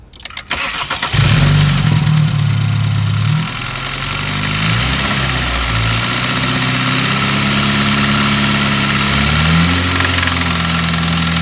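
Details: 2013 BMW F30 320i N20 with 52k miles, warm, revved to 2-3k rpm in park: a metallic rattle grows with revs. It also occurs at 20-30 mph and off-throttle, with no check engine light. Mechanics said lifters; unconfirmed.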